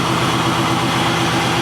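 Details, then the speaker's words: Truly cold first start of the day; smooth, even low rumble with a steady beat, no misses or knocks, a healthy normal cold idle. "a literally first start of the day so this is a truly cold start normally I have to let the fuel pump prime a couple of times"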